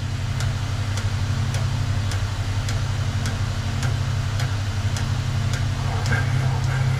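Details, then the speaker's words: Peugeot 205 GTI cylinder head valve seat cutting, powered cutter: steady low drone with a light tick about four times a second; cutter bites unevenly on a seat that is well out of true. "just start to come down onto the seat and what you should hear is it it'll cut quite unevenly where the seat is"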